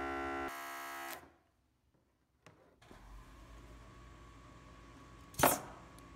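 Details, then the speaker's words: Kubota-diesel-swapped Honda Insight with an added electric vacuum pump for the power brake booster: steady pump hum for about a second after rapid brake applications, then cuts off cleanly; vacuum restored normally. "but the good news is it only takes a few moments for the pump to catch"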